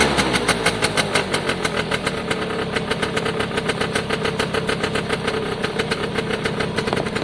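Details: Piaggio Diesis 100cc two-stroke scooter running; the oil light flashes although oil is full. Crisp, regular putter, firm and even, with no missing beats or rattles. Normal running.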